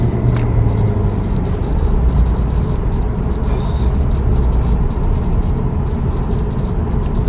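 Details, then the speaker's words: 2008 Audi A6 road test at 100 km/h after repair of cylinder 3 misfire (ignition coil checked) and gearbox-related vibration, faults erased: steady even engine drone, no stumble or shudder, smooth shifting; runs normally. "No problem at all. Car nice working and nice driving. Nice shifting, no any problem."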